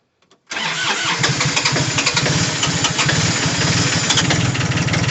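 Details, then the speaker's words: 1980 Kubota diesel tractor cold start after sitting three or four months, glow plugs preheated about 20 seconds, clutch in: brief crank, catches at once and settles into a steady, even clatter at idle; healthy start. "there it runs it sounds good nice the nice little diesel motor"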